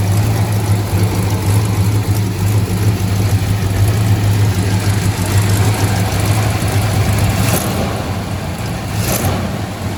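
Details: 1968 Dodge Charger barn find V8, first start after pumping out old fuel, adding Seafoam and fresh non-ethanol gas. Deep, steady burble with an even low beat and no knocks or misses: normal idle.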